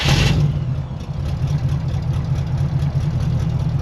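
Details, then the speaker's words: 1967 Chevy Impala small-block V8 on a test drive with newly fitted mufflers: a deep, even low rumble with a steady beat and no rasp or blowing leak; the exhaust sounds clean and healthy. "that sounds great. That sounds really nice."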